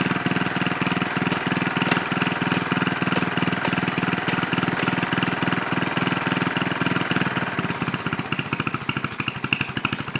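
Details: Original 1963 Cub Cadet single-cylinder on its first drive after clutch work, throttle not hooked up: crisp, even firing pulses at a steady fast idle with no knocks, misses or rattles; normal running.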